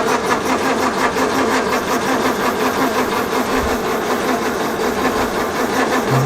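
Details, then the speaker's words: 1932 Morris Minor four-cylinder sidevalve, last on the road early 1970s, 6V battery, fuel added by funnel: steady cranking under two turns a second with no firing; turns over but won't catch, owner suspects flooding and will check the plugs. "it's not so Keen now we're just okay give it a rest for a minute maybe maybe it's a bit flooded"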